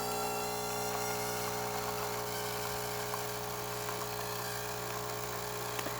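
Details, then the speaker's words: Saeco Intelia 5009b espresso machine after full service, normal brew cycle: steady electric pump buzz and hum with light irregular rattles; steady stream and good crema, though brew unit noise remains, needing deep clean and new O-rings. "Really good crema forming on top as well."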